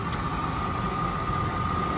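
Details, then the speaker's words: Undercounter dishwasher UH300, M4 (4th generation) series, during rinse cycle: even, steady recirculation pump hum with no surging or rattling; pump running normally, not yet draining because water level is still low (drains after about 4–5 cycles). "you can kind of hear it. You see how the recirculation pump is running? But it's not dumping any water because it doesn't have too much water in it yet."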